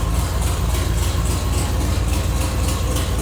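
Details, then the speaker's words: Long-stored barn-find car, started after fixing a fuel leak: deep loud rumbling idle with steady low thumps and no muffling, because the catalytic converter and downpipe are missing. "and the reason why she's as loud as she is right now is cuz she's missing the Cadillac converter"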